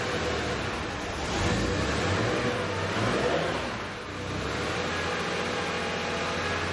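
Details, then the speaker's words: 1976 Porsche 911 Carrera 2.7 L after hard-start repair, with valve adjustment and mixture adjustment still overdue: engine speed swells and sags every couple of seconds without throttle input; idle surge, cause suspected, not confirmed. "right up this morning it is surging that a different issue"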